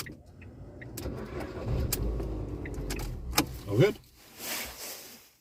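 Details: 2008 Ford Fiesta Mk5 with occasional no-start where the starter would not engage, after ignition switch replacement: the starter cranks briefly, the engine catches cleanly and settles into a steady, even idle.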